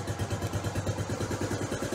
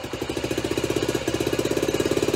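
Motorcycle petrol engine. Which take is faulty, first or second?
second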